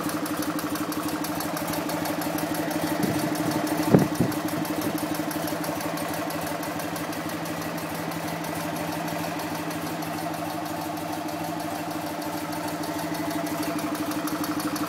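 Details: BMW R50 boxer twin at first start after full restoration, with a cooling fan on it: a relaxed, even idle holding a steady beat, with one brief bump from handling. It idles cleanly.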